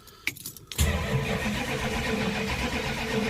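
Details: 1968 Dodge Charger R/T V8 cold start at about 40 degrees: short crank, fires at once and holds a strong, even idle without stumbling; normal cold start.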